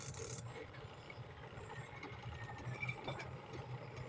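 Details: Spin dryer of a washing machine after adjusting its brake and fixing the motor: steady low hum from the spinning drum with no rattle or knocking, normal operation.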